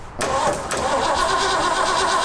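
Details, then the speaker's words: Old Ford Bronco being brought back, first start attempt after adding oil, ignition power not yet hooked up: steady fast starter cranking with occasional uneven catches as it tries to fire, but engine never picks up and runs. "Well, I can hear it's trying to fire. No. This? Yeah. I already know it's trying to fire. I just heard it."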